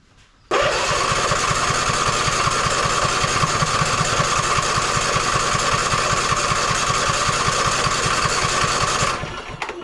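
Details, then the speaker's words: Ariens 20 hp riding mower, after new battery and seat safety switch plugged back in: now turns over, steady rhythmic cranking about eight seconds but never catches; owner unsure fuel is reaching carburetor. "now turns over I do not know if I'm actually getting fuel to the carburetor"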